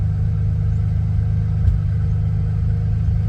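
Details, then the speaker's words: 1991 Ford Bronco during restoration: after restart the idle sits steady but high, around a thousand rpm, even pulses; owner dislikes it and wants it lower, cause unconfirmed. "let's see if it'll come down idle will come down on it own not too bad I like it well idling right out about a th I don't really care for that too much"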